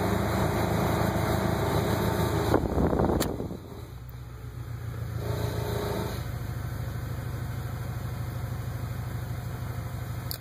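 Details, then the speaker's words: 1996 Acura Integra running in Drive: loose, uneven rattle about three beats a second that seems to come from the transmission, appears around certain RPMs, with AC on; stops in neutral or AC off. Cause unknown. "if I have it in Drive once it gets around those RPMs it'll start making that rattling noise but apparently now if I have the AC on while it's on Drive you can hear the noise but if I turn it off it stops"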